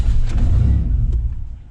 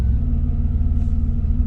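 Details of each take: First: Van with non-stock injectors and cam, just after the battery was disconnected: engine sags and nearly stalls about two seconds in, then recovers to an uneven fast idle held near 1000 rpm while the engine computer relearns; idles normally after roughly 90 seconds. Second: Vehicle with non-stock injectors and cam that tries to die right after starting; after holding about 1000 rpm for roughly 90 seconds it settles into a low, steady, even idle with no hunting or misses, apparently reset.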